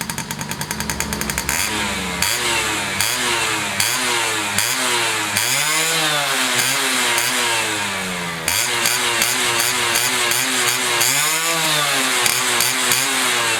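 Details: Restored Yamaha F1ZR two-stroke with a rebuilt stock (STD) engine and full clutch: sharp, crackly blips climb and fall again and again, revving freely and cleanly; engine sounds healthy after restoration.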